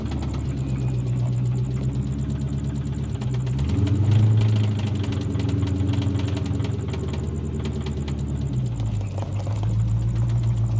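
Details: 1997 Mustang GT after a drive with some rpm to help valve lash adjusters: steady idle with irregular light tapping shifting with revs; engine knock persists, source unclear; replacement drivetrain considered.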